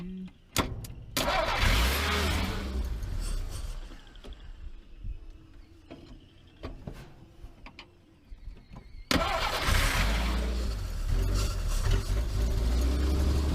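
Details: 1949 Chrysler Windsor sitting since the 1950s, with automatic choke, cranking on a 12-volt battery catches, stumbles, then settles into a steady low rumble running on its own after one of the wires was found to be the problem; owner reckons it won't run without the choke.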